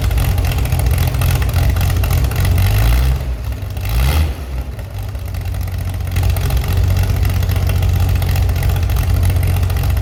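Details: Chevy SS under restoration, engine restarted after the owner lowered the fuel level to fix a mistake; it has a non-original cam. Deep steady idle, one quick throttle blip that picks up cleanly and settles back smoothly: runs well.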